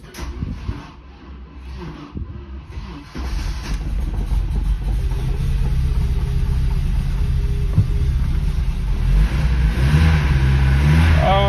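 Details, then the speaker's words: Porsche 924 Turbo, first start after five months, following an exhaust leak repair, new motor mounts and a wastegate rebuild: cranks, catches, settles into a slightly lumpy idle, then revs cleanly without blowing or rattling. Normal exhaust note after repair. "she's a little lumpy after five months but uh the exhaust sounds good very happy with us and there we go she sounds great back to the way she was"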